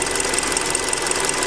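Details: Hyundai Creta at 40,000 km, before an oil change, running on 5W-30. Fast, even metallic ticking over a steady idle, pointing to a noisy top end; louder than on the factory 0W oil, unpleasant cold. Cause unclear.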